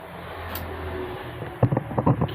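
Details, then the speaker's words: Maspion box fan tested with its capacitor left unconnected: steady low mains hum like a megaphone, blades barely moving and never spinning up; motor stalls without the capacitor, fixed by connecting it. "Sekarang, alat itu hanya mengeluarkan suara berdengung seperti megafon, bergerak sedikit saja, teman-teman."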